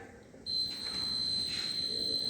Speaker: It is going to produce a buzzing sound, continuous buzzing sound whenever the object or obstacle is going to come in its path. So at a distance of 40 centimeters, it is going to detect the obstacle and it is going to produce the buzzing sound.